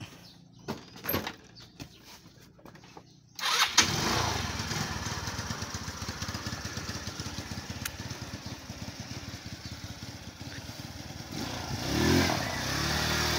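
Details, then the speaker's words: Motorstar Easy Ride 150 after auto choke fix: auto choke refitted; earlier had no idle, high idle then stalling, heavy fuel use. A few clicks, fires at once, settles into steady idle without surging or dying. "so Ayun may Menor na siya at may hatting testing testing testing"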